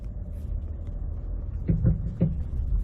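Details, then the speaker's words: Ford at low speed, clunking most when turning into a parking spot. Loud, metal-on-metal clunk up front, heard mostly on the passenger side, with suspension components new. Loose stabilizer bar end link, not the steering rack. "so it's that kind of noise where it's a loud clunky noise up front sounds like metal on metal"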